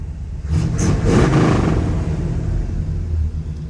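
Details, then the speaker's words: 1967 Chevrolet Caprice V8, sat 17 years, first run: brief throttle blip, then steady, deep rumbling idle, running very rich; needs a tune-up, timing set and carburetor rebuild; normal running. "I like it. Sounds good. Smells good. It's running really rich."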